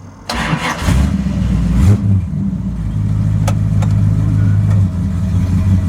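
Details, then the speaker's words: 1929 Chrysler: starter cranks about a second, engine catches cleanly and settles into a steady, even low idle with no misses; starts easily now, previously kicked back. "But it starts real easy now. Before it kind of kicked back a little bit. I had it at least 20 degrees advanced. But it fires right up."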